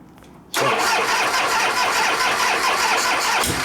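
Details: 1973 Harley-Davidson Shovelhead FX 74ci, unstarted for a while and choked. The starter whirs steadily and the engine turns over about three seconds without catching: cranks but won't start; owner suspects no gas.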